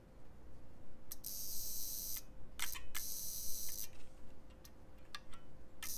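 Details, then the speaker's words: Relay wired battery-to-coil-to-its-own-contact so it switches itself off and on: faint steady mid-pitched buzz under scattered clicks, the relay chattering like a buzzer; self-oscillating buzz. "so what's happening is that when you turn on the relay it turns itself off but now it's off so it turns back on so now it's on so it turns off so that's a little buzzer now"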